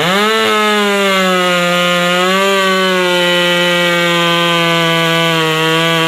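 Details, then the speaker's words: Ironhorse 372 chainsaw at wide-open throttle after a slight mixture adjustment: steady high pitch that comes up to speed without screaming or over-revving, clean even top end; normal, properly tuned. "d then, that sounds like a power saw over there."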